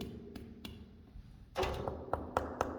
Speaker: d'un côté c'est vraiment de très dur et de l'autre côté je cogne on entend un bruit amorti vous voyez il y a quelque chose il y a une isolation et quelque chose